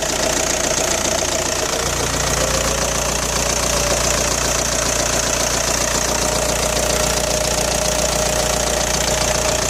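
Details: Audi A4 B6 1.9 TDI AWX diesel at idle: fast, fairly even metallic clatter throughout; rattle began after replacing injector o-rings and copper washers, which cured cold-start smoke, but power seems lost; cause not yet found.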